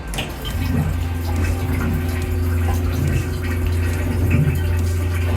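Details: Aquila 32 Sport boat head, flush water set to maximum: steady low pump hum under rushing water filling the bowl, even and unbroken throughout; normal, healthy flush cycle.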